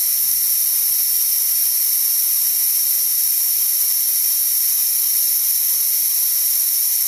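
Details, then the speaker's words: DeWalt D55146 air compressor: steady high-pitched hiss with motor off as air bleeds back past the leaking check valve after shutoff, pressure dropping until it kicks on again around 160; check valve needs replacing. "as you can see it's going back down and it's going to kick on again about 160 or so and that's again because that check valve is letting the air by"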